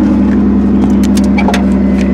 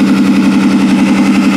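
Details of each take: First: 2002 Ford Taurus derby car after its third derby, idling on all 6 cylinders again once the damaged plug boot was made to spark: even, steady idle, no stumble or engine shake, then the engine is switched off and spins down. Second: 2002 Ford Taurus derby car the day after its third derby run, idling on 5 of 6 cylinders: steady idle with a faint uneven pulse in the low rumble, a miss hard to hear.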